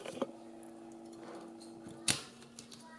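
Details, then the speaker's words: Liquid-cooled Fractal R5 workstation, faulty loud rear pump disconnected: faint, steady low hum with soft handling clicks from the healthy front pump, how both should sound; normal pump operation. "it so you can't even hear the other one that's what they should both sound like"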